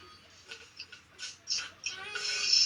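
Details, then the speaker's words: Bush SRC161 stereo radio cassette playing radio: scratchy, irregular crackles and pops as the volume knob turns, a dirty volume potentiometer. "you can hear there that's the volume control I'm moving there have to look have a look at that"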